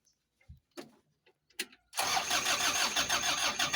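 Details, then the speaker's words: Diesel vehicle that died suddenly: starter grinds steadily about three turns a second, engine never catches. Mechanic suspects a dirty filter or a dirty check valve. "Nggak mau hidup ya. Kalau dipompa itu nggak bisa padat, bisa jadi ini mata kucingnya ini kotor."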